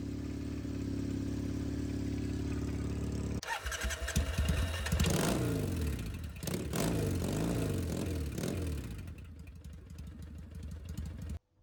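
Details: Triumph Bonneville T100 on drag pipes after TPS adjustment and stage 4 ECU tune, warming toward 70 degrees: even, lumpy twin idle for a few seconds, then rising and falling revs; the engine sounds healthy throughout.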